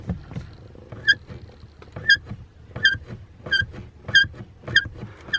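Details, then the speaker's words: BMW E60 pedal box: sharp, high chirping squeak on each press and release near the top of pedal travel. Owner suspects the clutch pedal itself or the pedal box, not the clutch disc or assembly. "okay so from that squeak i'm thinking that it's something to do with the clutch pedal itself or something on the pedal box"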